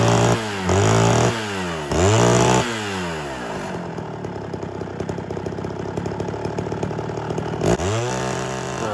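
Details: Homelite Super XL chainsaw, two-stroke, rebuilt Tillotson carburetor, high-speed screw being tuned to max rpm then richened: revs up and falls back in repeated bursts, then idles unevenly before another sharp rev; the surging is a suspected problem, not yet identified.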